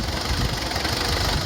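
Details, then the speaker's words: 2004 Mazda B2500 diesel idling on a vegetable oil and diesel blend, before a Synergy 4 tuning box is fitted: an uneven, lumpy knock with a wobbling beat. The rough idle is attributed to the vegetable oil fuel blend. "Get a little bit of a lumpy tick over, but that's due to the vegetable oil and the diesel."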